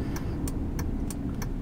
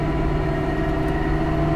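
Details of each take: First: Dodge truck after rear differential rebuild with new bearings, reused crush sleeve, backlash 0.007 in and good gear pattern: steady low driving rumble with no whine rising with speed; rear differential quiet and normal. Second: Dodge truck driving on the highway, owner reports whine under load worse on acceleration: steady droning hum with faint constant whine over road noise; rear differential pinion bearing whine, ring and pinion possibly damaged.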